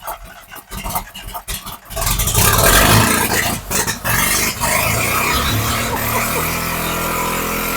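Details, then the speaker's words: Neglected sun-baked Mazda RX-7 with 12A rotary, first start with a fuel bottle held just in case: uneven, stumbling revs with sputters and dips, then smoother as the flooding fuel burns off; rough running on rich mixture. "yeah I mean at first we had we had so much fuel in there that it was kind of like yeah it definitely I was struggling and then it kind of it blew it out burned that off and she's good"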